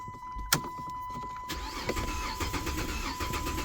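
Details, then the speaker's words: After a click, the starter cranks with a steady rhythmic churn for several seconds, but the engine never fires: a crank, no-start. It is not out of gas, and the owner suspects the fuel pump. "it's not out of gas maybe the fuel pump is fa that's what that sound like"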